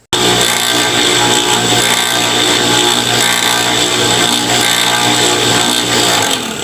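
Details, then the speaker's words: Water pump running noisily with ticking and vibration even with a new bearing: loud harsh whirring rattle as the shaft/bearing wobbles in a worn, loose housing seat, later fixed by welding and machining the seat. "yung shafting niya kasi meron akong nakita maluwag pa rin siya"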